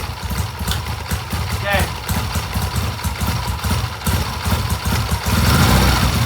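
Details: 1967 Triumph during timing work: stumbling beat around idle that won't settle, pulses bunching and dropping out, worse than days before; rough running, cause not found.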